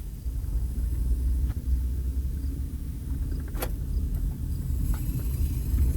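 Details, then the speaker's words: 2007 Honda Odyssey 3.5 road test after fixing a loud noise when turning, plus a slight vibration when braking before: steady low road rumble, no clunks, knocks or rattles over bumps; suspension quiet. "Vamos a ver. Sonó nada. Ahí quedó, chingón, ahora sí."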